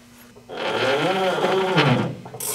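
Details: Corporate jet right TFE731 engine that won't start (start sequence cuts off at 4-5 seconds with high starter amperage), rotated slowly by hand: rough raspy grinding with a ratcheting catch; faulty fuel control unit found, plus a popped 15 amp circuit breaker.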